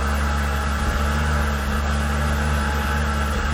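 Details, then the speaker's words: 2005 Volvo V70R salvage-auction wagon that was out of fuel despite half-tank gauge, restarted on a little possibly old, dirty gas: low heavy idle with uneven dips and stumbles; rough running after fuel starvation. "it doesn't run great I needed gas it needed gas it was out of gas the whole time it was out of gas"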